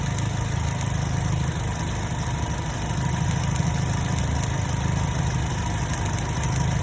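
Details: 2010 Chevrolet Cobalt 2.2 after repair: missing ground fixed at the starter relay and MAF sensor (P0102 cleared), bad cylinder 3 coil replaced. Smooth, even low idle with a steady hum and no skips or stumbles; all cylinders firing cleanly.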